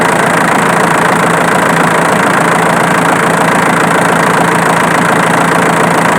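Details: Diesel engine at loud idle with a sharp snapping click repeating about twice a second, located with a camera; it comes from the alternator rather than the injection pump as suspected.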